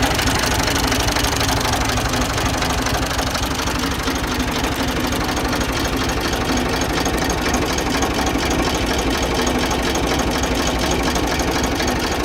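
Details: Ford 2000 diesel tractor running on Diesel Purge injector cleaner; loud hard uneven clatter about twice a second with sharp diesel knock; rough running, dirty injectors suspected, to heat soak 10-15 minutes.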